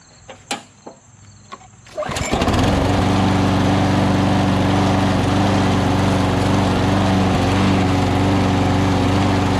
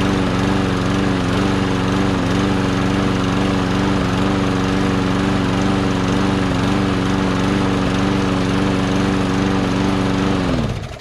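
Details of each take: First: Push mower built from a Murray deck with a Lawn-Boy engine, started after assembly; it had hesitated slightly before: catches, then settles into a steady high-speed buzz with slight unevenness, mild rough running, carburetor bowl to be checked, cause unconfirmed. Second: Push mower engine given a little gas and primed: a steady single-cylinder putter holding even speed about ten seconds before winding down; the engine runs and sounds good.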